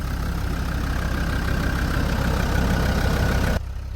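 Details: TD5 Land Rover Defender diesel after fitting a new starter motor, new crank position sensor and wiring overlay to cure no/hard-start problems: steady, even idle with smooth low rumble, no misses or knocks, runs clean until switched off; normal idle.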